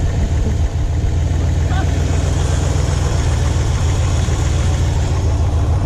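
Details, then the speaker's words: 1973 Ford Maverick Grabber running after sitting 25+ years, power steering unhooked. A loud, deep, heavy idle rumble, slightly lumpy and uneven with little crispness; ignition timing badly out of adjustment. "I've got to fix the timing. It's pretty bad."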